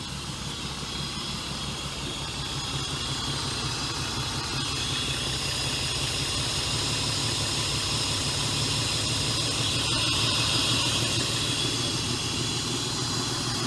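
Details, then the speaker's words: 2003 Honda Pilot, after new EGR fitted: much smoother idle than the earlier choking and struggling, yet a constant airy suction hiss with slightly uneven beat; rough idle with intake hiss, root cause unconfirmed. "that's a much smoother idle that I have before it was really choking and struggling before that's not so bad now you can still hear that suction"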